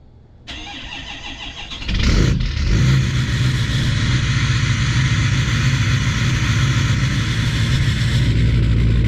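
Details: 2019 Chevrolet Silverado Duramax L5P diesel cold start in sub-zero weather with a high idle controller. The starter cranks briefly, then the engine settles into a steady, even clatter with no misses or knocks.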